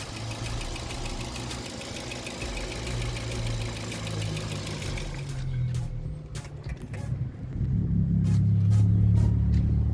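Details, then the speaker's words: Wrecked Audi A4 inspected before purchase: steady, fairly quick tick over a smooth idle that stops with the engine and returns on restart. It is louder than a normal injector tick, with a slight hesitation on starting. "Also we can hear the ticking. That ticking is sound a little bit loud. Car should tick, it should have an injector tick or something, but that sound a little bit too loud."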